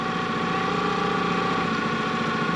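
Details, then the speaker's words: Sailboat outboard, recently serviced: it starts fine but the idle hunts unevenly at the lowest revs, a steady buzzy tone over an uneven beat. The owner suspects a blockage rather than a plug problem. Cause unconfirmed. "And if I let it go, it starts to misbehave. Or rather, it did start to misbehave after a while, which I'm wondering if there's some sort of blockage."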